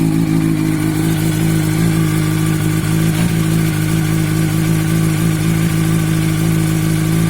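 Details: 2006 Yamaha R1 idling with a loose, uneven rattle over the engine beat and a few throttle blips; owner suspects a strange clutch noise, not confirmed.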